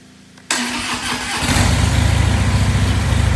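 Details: 2016 Dyna 103 Street Bob FXDB, stored since 2018 at 212 miles, stolen and recovered in 2022 unstarted, after a few simple repairs: starter cranks about a second, catches cleanly, settles into a steady, even V-twin idle, normal start and idle.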